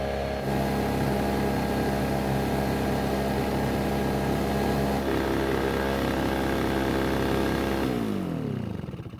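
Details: Shindaiwa backpack blower two-stroke after the no-start fix: strong, steady high-revving drone at even speed, then winding down cleanly at shutoff; running healthy and blowing leaves strongly.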